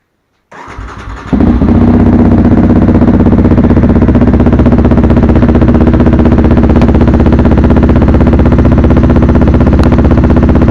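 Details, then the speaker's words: 2019 Yamaha Raptor 700 after Barker's dual exhaust install, with intake and Power Commander 5 tuner, in neutral: catches quickly into a loud, even thumping idle around four pulses a second, no misses; normal idle, owner says it sounds the way it should. "Sounds amazing, sounds the way it should. Very, very happy with it. The exhaust really was a clean, easy install."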